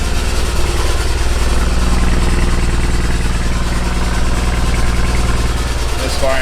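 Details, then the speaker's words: 2007 BMW 335i N54 twin turbo before repair, with bad rattling like wastegate rattle and loss of boost: lumpy, uneven misfiring idle; failing turbochargers suspected. "car started to lose boost and now no boost at all it's misfiring and i suspect that first of all the first issue is the terrible is going bad and that has to get so you can hear it it's not running the best"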